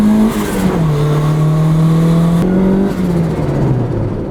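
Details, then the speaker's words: Turbo Honda Civic, first drive in six months, with new spark plugs and a fresh service, running a little rich across the board on a hot day: engine pulls and settles smoothly through the revs with a steady, even note. Normal running. "e meantime I've got it running pretty smoothly now it does run it's a little bit Rich across the board but not as bad"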